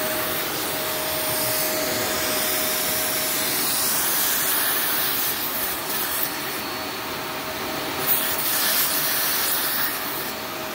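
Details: Shark NV355 upright vacuum bought in 2018, about 3 years old, in a Florida condo; steady even rushing roar with constant mid-pitched motor whine, no rattles or surging; normal running.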